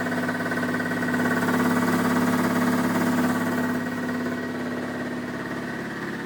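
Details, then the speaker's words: Air compressor relocated out of the middle of the shop and running smooth with an even pumping hum about three strokes a second as air flows into the tank; normal running. "You can hear the air flowing into the into the tank and it's running so much better than being in the middle of the shop."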